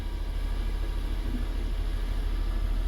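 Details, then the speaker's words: First-generation Honda Insight just started after fuel pump and fuel filter replacement and priming: pump gives a little squeak, then engine catches straight away and settles to an even, steady low idle with no knocks or misses; healthy. "i wonder if i can hear it oh yep little squeak i can hear it going sounds like it's working"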